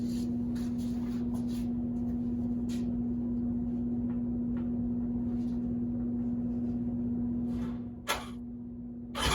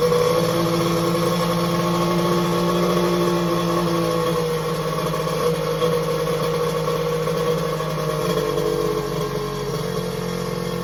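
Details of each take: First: Three-cylinder 1100 engine with the two outer spark plugs removed: steady low even hum idling smoothly but thinly on the middle cylinder only; starts and runs reliably this way, fault not found; running on one cylinder. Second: X2 two-stroke, restarting after first firing in days; front cylinder later about 150°F, back head 186°F: steady, even drone at constant speed with no misses or knocks; starts right up, normal running.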